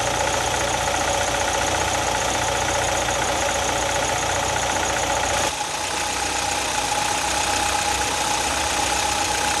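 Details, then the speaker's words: Piston slap comparison between CFI and EFI engines, at idle and at 2000 rpm: a dull, hollow, unevenly timed rapping under a steady drone. "of course there are again notable differences between piston slap on a CFI and an EFI here's another Sound by sound comparison with the engines at idle and at 2000 RPM"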